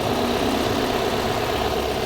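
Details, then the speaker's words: Toyota Corolla 2E petrol engine, repaired for smoking and oil consumption (valve work); steady, even idle with a soft hum and no knocks or shaking; engine quiet, only the timing belt cover makes noise; normal idle. "Walang kapalag-palag yung under nya, no? Tahimik yun. Yung cover lang may ingay."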